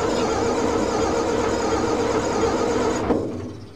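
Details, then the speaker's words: Old Fiat-Allis diesel bulldozer, left sitting in the bush for years, cranking with throttle slightly open: steady beat about four per second, one beat slightly quicker; owner suspects that cylinder is low on compression, possibly recovering after running. "when it's silent it's just that little bit that one that's that bit quicker one that's the one that's down in compression"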